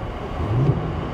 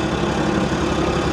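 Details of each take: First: Vehicle with 83,000 miles, oil pressure 45 PSI and boost reading 0, airbag light on, no warning messages, voltage good: a short clean rev blip swells and settles to a steady low rumble; throttle picks up promptly, engine runs great, normal response. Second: Car at auction, full of oil: rough, busy idle with a faint fast tick buried in the engine noise; unsure whether accessory pulley or top end; top end ticking at idle.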